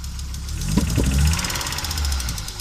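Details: Audi Coupe after swap from NG to AAR engine, hard starting and engine dying while driving: uneven, lumpy idle with irregular thumps and stumbles, misfiring; cause unknown, owner seeking tips.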